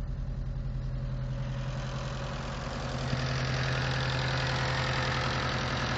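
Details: Mitsubishi Eclipse 4G63T turbo engine at idle: steady fast, fairly even tick around three or four per second; owner unsure whether lifter tick or spun bearing.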